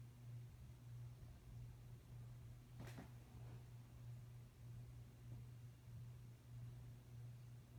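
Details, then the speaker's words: Hometrends 42-inch ceiling fan with oak blades running: steady low hum around a hundred hertz; owner unsure whether it comes from the shaded-pole motor or the blades being too heavy for the small fan. "just have a hum to it okay so it's not it might be a shade but it could also be it's just very heavy for the fan"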